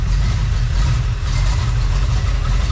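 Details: Freshly built Chevy small-block 350 (roughly 355) on test run, voltage gauge wiring being checked; deep even V8 idle rumble with steady beat and no knocks or misses, running smoothly.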